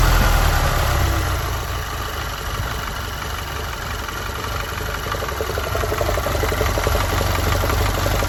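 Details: Audi A4 B8 1.8 TFSI during oil filler cap test: idle with uneven low pulsing about four beats a second and slight rise and fall in level; rough idle.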